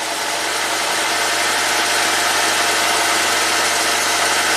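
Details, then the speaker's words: 2009 Ford Fusion, PCM tampered with by owner: uneven hissy hum with lumpy beat at idle, running super rich; mass airflow sensor reads zero g/s while running though it responds with key on, cause not yet found. "So while it's running, it doesn't respond. Runs super rich."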